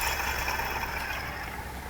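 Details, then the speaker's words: 2004 Renault Clio 182, engine off: small idler pulley on alternator side hand-spun gives dry gritty rattle fading as it slows; bearing knackered, replacement to be ordered with dephaser pulley. "also I found down here on the alternate about side there's a little pulley and when you spin it"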